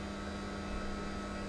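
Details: Philips masticating juicer (screw-thread, quiet motor) just switched on, first use: quiet, steady low hum with no knocks or grinding; not very noisy, normal operation.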